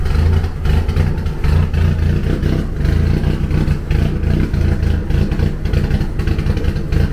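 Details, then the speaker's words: 1991 Eagle Talon TSI, built 4G63 with HKS 272 cams and Precision turbo, first start after sitting 5+ years: loud, rough, raspy idle with uneven puffing pulses because the downpipe is loose from the turbo; exhaust leak. "It sounds like shit right now because the downpipe's loose from the turbo."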